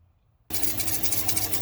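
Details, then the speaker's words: Chevrolet Silverado started with the engine running: a high, thin squeal with faint chirps as the drive belt slips on its pulleys, recorded before belt dressing was applied. "okay so what I did was I started the vehicle up and you can hear the you can hear the belt squeaking I don't know if you can see it but you definitely can hear the belt squeaking"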